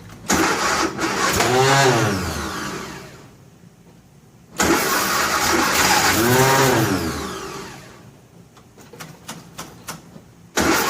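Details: 1957 Nash Metropolitan barn find that sat for many years, start attempt with the manual choke and fuel pumped: two long starter bursts that speed up and sag without catching. It cranks but won't start.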